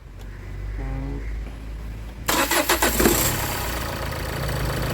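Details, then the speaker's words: 2014 Renault Duster diesel after 100,000 km service, new timing belt and tensioner bearing, EGR cleaned, mounts replaced: brief crank, fires quickly, steady even idle with no knocks or belt noise; normal start and idle. "Okay, വാഹനം സ്റ്റാർട്ടായിട്ടുണ്ട്. നല്ല smooth running ആണ്."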